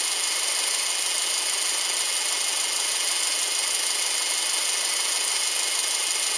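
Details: Subaru Outback EJ253 flat-four after rebuild: even steady idle with smooth whir, no knocking or ticking, healthy.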